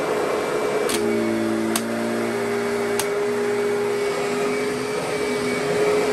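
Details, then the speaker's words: Curbside-found Kirby Sentria vacuum running after switch clicks. Smooth steady motor hum holding one pitch, no rubbing or rattling; runs good and cleans fine. "So, I mean, it sounds good, runs good, and performs as a vacuum just fine."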